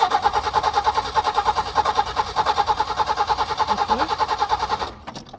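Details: Peugeot 505 V6 manual, not started for over two months, hard-start problem: steady rhythmic cranking, even strokes for nearly five seconds, never firing before it stops; cranks but won't start, cause unconfirmed.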